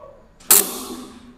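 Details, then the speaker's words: Lathe motor that only hums and will not turn; when forced it hums, then a sharp electric snap as it arcs and sparks at the capacitor connection before it spins; capacitor circuit burnt and dangerous, capacitor should be checked. "dia bisa berputar akan tetapi dia keluar api terlebih dahulu di situ baru dia bisa berputar"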